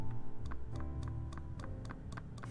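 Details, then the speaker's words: SINGA v3 keyboard with screw-in Durock stabilizers lubed with Krytox 205g0, GMK keycaps, Aliaz silent tactiles: evenly spaced key taps carry a slight hollow rattle on the left stabilizer. "So for example, you can hear a bit of rattle on the left side here"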